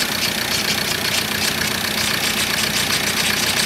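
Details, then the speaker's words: 2013 Ford Ranger 2.2 TDCi, first start of newly fitted recon engine: diesel idle with light, fairly even tappet ticking, expected to be tappy until oil gets round; normal, no leaks. "you're right it's going to make a bit of a should be a bit tappy until it is bone dry"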